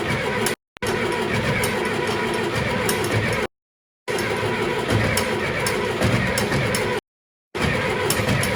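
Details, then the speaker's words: John Deere 2510 diesel tractor with no cold-start aid, about 24 degrees with snow, coldest start yet: slow labouring crank dragging on without catching while trying to warm the block; hard cold starting. "I think this will be the coldest cold start we've done on it here yet and of course as you folks know this this director does not like to start in the cold"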